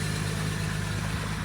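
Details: 2004 Jeep Grand Cherokee WJ with a no-crank fault from the ignition switch, started by the wire trick: steady low rumble with an even, unbroken beat and no knocks or misses; normal idle.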